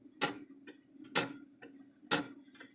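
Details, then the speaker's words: Electric fence charger with mechanical timer wheel: sharp click about once a second, each followed by a softer pop as the wheel overswings and hits its back stop because the stretched coil spring no longer works. "you kind of hear it hitting twice that softer pop is the hitting the back side"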